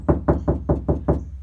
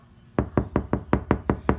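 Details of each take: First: Knock test on bare car door before applying KilMat sound deadener: six evenly spaced knocks, deep boomy thuds ringing hollow; plain hollow sheet metal with no sound deadening. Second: Knock test on passenger door after KilMat sound deadener, same spot as bare driver's door: seven firm knocks, short and dull with no lingering ring; sounds solid, well-damped panel.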